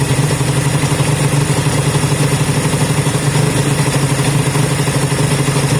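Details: Honda CB200 twin first start after many months stored, after air filter work and fuel run through: steady even idle with regular low throbbing beat, no knocks or misses; running smoothly, normal idle.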